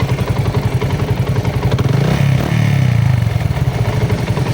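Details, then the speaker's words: Sniper 150 after clutch damper replacement: small engine runs with a loose, uneven clatter over the thump; balancer gear and damper found loose, still noisy. "So dito nacheck ko kanina meron pa siyang ano sa kanyang balancer gear. So medyo maluwag yung sa gear niya at sa dumper. So ito yung ingay niya."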